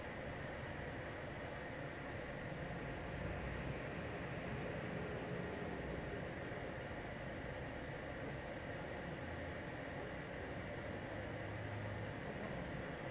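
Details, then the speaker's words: LG portable air conditioner fan at maximum speed F3, measuring about 56 dB with a much stronger airflow. A steady, even rush of air with no knocks or rattles. Normal, but too noisy for sleeping. "pessoal if3 que a minha velocidade máxima do ventilador ela já subiu considerável tá o nosso 56ba é porque isso a minha flecha de ar agora aqui ela é muito mais forte tá"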